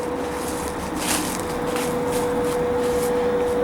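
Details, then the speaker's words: Power vent water heater on a middle floor, fitted in place of a fanless direct vent unit: steady mid-pitched fan whine over airy rushing, clearly audible; loud power vent blower. "i wanted to show this is a rather noisy water heater this is on a middle floor notice you can hear it running"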